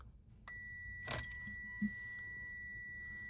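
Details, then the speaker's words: Fiat 500e, key in, start attempt: steady chime, sharp click and faint clunk but no pull-in; HV contactors fail to close, dash says not ready, 47%; faulty BPCM reading wrong pack voltage. "Uh if we go ahead and put the key in and attempt to start it, it will try to close the contacttors again and it'll fail."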